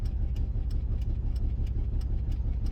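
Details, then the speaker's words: $300 auction car while driving gives a low rough drone with a sharp tick about three times a second and a bad miss; owner unsure whether it is a misfire or an exhaust leak. "bad miss to it. I don't know. Let me know in the comment section below. Do y'all think it's a miss or is it exhaust leak?"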